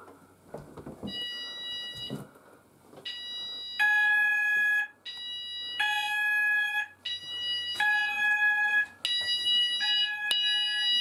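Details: Apollo XPander house fire alarm system test 3, "sound group all" pressed at the panel so the landing and bedroom sounders go off together; several loud high-pitched alarm tones pulse together in a repeating pattern, sounders operating normally.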